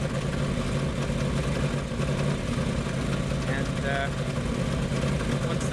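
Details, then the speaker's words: Woodgas truck just started cold on wood gas, with a weak char bed and damp wood. Fast, slightly lumpy idle with a low steady thrum, running rich while warming up. "yep only a few inches but it is running on wood"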